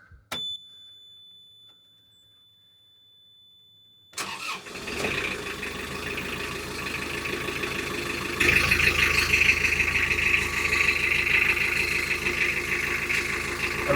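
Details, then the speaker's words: Isuzu Marine IM4LC38 narrowboat diesel at about 3997 engine hours, started after an oil and oil filter change to fill the filter: warning tone, cranks, catches and settles to an even idle with good oil pressure. Normal start. "So, I'm just going to start the engine up."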